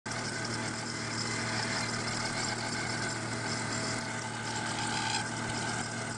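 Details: Volvo 850 petrol engine idling after cold start, louder in colder ambient temperatures: steady loud whirring, hissing rush over a low hum; cause was a failing water pump, replaced.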